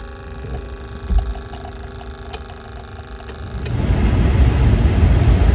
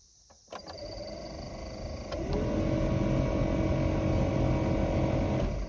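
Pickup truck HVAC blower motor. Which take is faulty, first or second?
second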